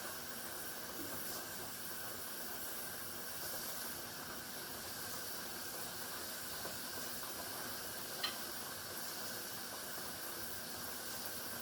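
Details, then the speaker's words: Pressure canner processing tomato sauce, heating before the regulator rocks: soft continuous high hiss/whistle of steam escaping; pressure building normally. "Now you can hear the whistling. That's letting you know that that steam and that pressure is building up."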